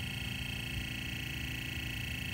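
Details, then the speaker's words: Sony TC-K65 cassette deck, damaged: steady motor whir with a rough gritty hiss while the transport runs in fast wind; capstan (BSL) motor has bad bearings, to be swapped with the motor from a TC-K61 parts machine. "oh that motor not good all of that sound is coming from this motor a BSL motor should not sound like that it's got bad bearings back here"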